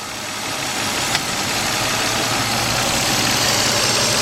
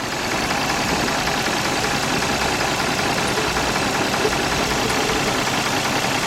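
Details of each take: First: 2004 Nissan Maxima 3.5, after P0306 cylinder 6 misfire repair, warmed up about 15 minutes and in gear: settles into a steady, even idle with no stumble or shake; normal idle. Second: 2004 Nissan Maxima 3.5 with pending P0306 cylinder 6 misfire code: rough idle with irregular thump and stumble in the exhaust note, engine visibly shaking; cylinder 6 dropping out from a failed ignition coil.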